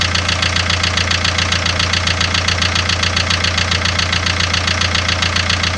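Steady sharp ticking knock about two and a half times a second over a smooth idle, a clear knock whose source is unknown.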